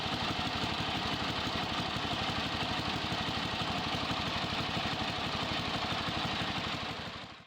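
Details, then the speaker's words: Yardman (MTD) riding mower after disconnecting the grounding switch wire that was killing spark: steady, even rapid putter at constant speed, then a clean shutdown; normal running, charging now restored. "Let's start it up and see if that's actually throwing out any voltage. Warning, this is going to get a bit noisy."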